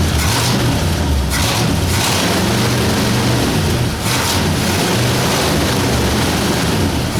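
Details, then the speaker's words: 1960 Ford F100 with a 351W V8, first start after a carburetor clean with valve cover bolts still missing: steady, deep, even idle with no misses, knocks or stumbles; oil light went off at once. "so well started and ran oil light went off as soon as it started"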